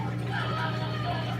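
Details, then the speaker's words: LG washing machine that would not drain, after drain pump replacement (part 4681EA2001T; old impeller loose), rinse-and-spin test: steady low hum with a light watery swish and no rattle or grinding; the new pump drains normally. "and it looks like it drained everything out got a little bit of soap residue there looking good"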